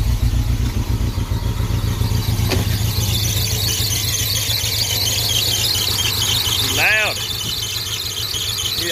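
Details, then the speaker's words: 1987 Jeep Comanche engine running steadily with a chirpy, rising-and-falling squeak from the belt area; owner suspects a pulley and plans to tighten it, where a bolt had broken off: squeal. "I'm gonna try to tighten this pulley up to get rid of that stupid squeak and ice driving me crazy"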